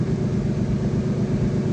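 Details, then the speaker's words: Nissan 370Z VQ37VHR without catalytic converters, previously random misfire P0300, after removing one oxygen sensor: low, even idle with steady pulse, no stumbles or skips, running smoothly without misfire. "parejo, como si nada hubiera pasado."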